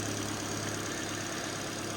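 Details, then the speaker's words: Ford Fiesta race car warming up to temperature; smooth even idle with steady low hum, no stumbles or missing beats; normal idle. "well John's car is ticking over very very nicely"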